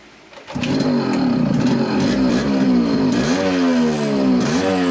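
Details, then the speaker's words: Yamaha RXZ two-stroke, after fitting magnet and magnet coil (previously starting and pickup problems) and adding engine oil: catches on first kick, crisp buzzy note rising and falling cleanly with throttle blips; starts and runs properly. "तो अब start भी अच्छी सही तरीके से हो रही है, प्रॉपर स्टार्ट हो रही है।"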